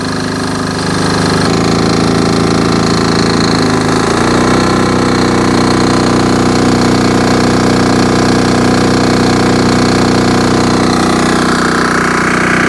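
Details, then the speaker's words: Army MEP-831A 3 kW generator, single-cylinder Yanmar L70 296cc diesel with new governor controller, under charge-burner load of 50 amps, about 2800 watts: even, steady beat settling as load comes on, no hunting or knocking; healthy running. "sounds great all right so right now we have 50 amps going in about 2 800 watts"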